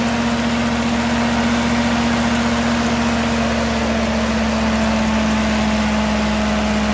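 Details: Ferguson TO20 tractor after gas tank and left front wheel bearing repair, started after checking fuel bowl and spark: steady mid-pitch drone holding speed evenly without misfires; running properly.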